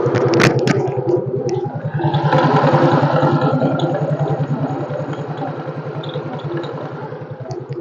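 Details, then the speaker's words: X-Ride automatic scooter with weak pull, running after a spark plug and cap replacement: a steady light clatter about three ticks a second from the CVT. It gets louder with throttle and may come from the front or rear pulley or a damaged roller housing, not yet confirmed. "dia ketika hidup itu suaranya udah agak lain di bagian CVT itu ada suara kletek kletek kletek kletek kletek seperti itu ini bisa di bagian depan atau di bagian poli belakangnya"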